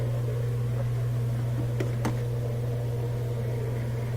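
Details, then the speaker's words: Kenmore top-loader washer that wouldn't spin, after zip-tie repair of the cracked lid switch case: steady, even motor hum with no grinding or knocking as the washer spins normally. "good click I'm gonna try it out plug it back in and hear it spin"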